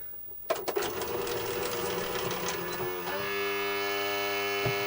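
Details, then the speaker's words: Sanyo Betacord VTC-1000 Betamax trying to play a tape: clicks and clatter, then a strained steady hum with no proper running; the tape drive isn't pulling, and a perished belt is suspected. "Well, that doesn't sound good, does it? No, not a happy machine. Sounds like the belt's completely gone, actually."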